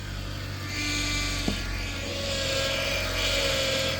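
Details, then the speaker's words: High-mileage NC Mazda MX-5 Miata at idle: loud power steering pump whine that climbs in pitch and gets worse when the wheel is turned; fluid is leaking everywhere and the reservoir is cracked, so the pump will be replaced. "and for reference this is what the power steering pump pump sounds like when the car is on super loud to turn the wheel it gets worse"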